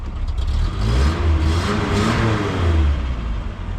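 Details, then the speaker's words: 1st-gen Toyota 4Runner, 22RE engine, 5-speed, after engine rebuild and exhaust welded in: low, even idle rising smoothly through a couple of revs and back, no exhaust blowing or ticking; much quieter, healthy running. "So I'm gonna go ahead and start it up, see what it sounds like. Oh, look at that. You can hear me, it's not so loud."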